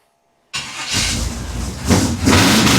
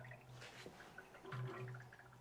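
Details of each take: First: 1957 Chevy convertible built from a 4-door shell, small-block V8, Turbo 350, headers with glasspacks: a slightly shimmying starter cranks briefly, then the engine catches and blips with a deep, lumpy burble, settling into an even idle; healthy start. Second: 1957 Chevy convertible with tunnel rams, warmed up with 70 psi oil pressure: soft, irregular bubbling and gurgling over a low idle hum, caused by coolant churning with the radiator cap missing.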